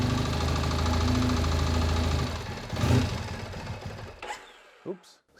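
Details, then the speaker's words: 2001 Triumph Bonneville T100 petrol twin, first start on choke after long lay-up outdoors: rough, lumpy running with uneven low knock for about two seconds before cutting out, on one cylinder; knock cause unknown. "nope it's running on one cylinder knocking terribly though awful knock"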